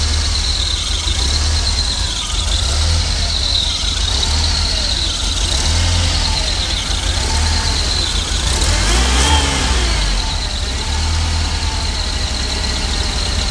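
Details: Jeep 2.5 with very low idle that sometimes dies when stopping: steady high-pitched squeal over a low, rough idle, like a hiss or whistle on the intake side; owner suspects a vacuum leak.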